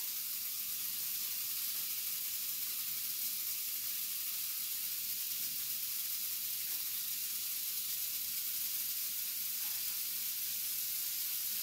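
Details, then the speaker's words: Ion lifter 2.4 powered by miniaturized flyback supply with a six-stage multiplier output; corona discharge at the eighth stage, before dielectric grease applied: constant airy high-pitched hiss with no low end or rhythm. "the eighth stage was actually having some Corona discharge so that's why you actually hear the hissing"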